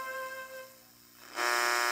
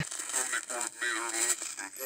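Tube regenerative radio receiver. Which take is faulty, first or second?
second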